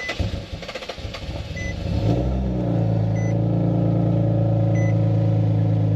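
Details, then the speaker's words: Nissan VQ37 engine with ISR high-flow cats, cold start: starter cranks, high cold idle with steady raspy ticking underneath; exhaust leak at the high-flow cats, to be replaced with Berk cats. "Yeah. Probably here underneath. Yeah, so I have an exhaust leak on this."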